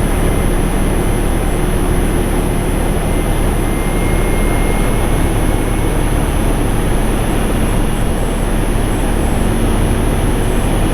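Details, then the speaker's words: Infinity variable-speed condensing unit outdoors, ramped to stage 5, its highest capacity: steady even fan roar over low compressor hum, no knocks or rattles; normal full-speed operation. "So that's on its 5th stage. That's about as high as it is going to get."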